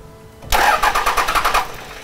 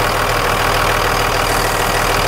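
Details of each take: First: 1998.5–2002 Dodge Cummins (VP44) after a Fleece PowerFlo lift pump install: the starter cranks in quick even pulses with no catch, a no-start from air in the system; injectors 1 and 3 need bleeding. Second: 1998.5-2002 Dodge Cummins VP44 diesel after a Fleece PowerFlo in-tank lift pump install and bleeding at injectors one and three: a steady diesel clatter at even idle with no stumbling or misses and no leaks. Running normally.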